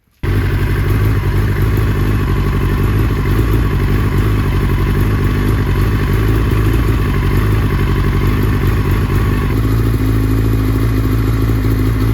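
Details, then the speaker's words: 2005 Yamaha R6, about 12,000 miles, after spark plug replacement for a pinging misfire worse at higher temperatures, warm engine: steady even idle, strong low burble, slight normal performance-engine unevenness, no pinging or missing; misfire fixed. "so you can see we actually did fix it the misfire issue at those higher operating temperatures is gone sure you have the little cam the little not stutter but the the non constant RPM of a a higher Performance Engine but there's no pinging"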